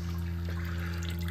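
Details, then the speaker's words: Mitsubishi inverter mini split outdoor unit wall-mounted in an enclosed porch, after defrost in heating mode on a rainy Massachusetts day: steady low hum with water trickling; still draining, noisy, vibration isolators advised to stop noise entering the house. "and she's still draining makes a lot of noise yeah don't forget to put uh some type of vibration isolators on there"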